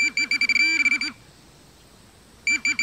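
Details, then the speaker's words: Minelab Pro-Find 40 pinpointer with ferrous ID turned off: fast high warbling beeps in bursts, a pause, then the same rapid beeping, as it touches a dime, the barrel side, inside the barrel and a nail, which sound identical; normal target detection tone. "which is a dime now we're coming down on the side of the barrel inside the barrel on the nail you notice they sound identical"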